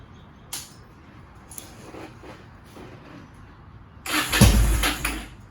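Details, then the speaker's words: 2001 Yamaha 1100 motorcycle that started but wouldn't stay running, spark plugs found fouled from flooding: a few faint clicks, then the engine catches with a short loud burst of firing before dropping back; bike starts. "It's doing something. That was part of the problem, guys. The spark plugs were fouled up. I flooded it."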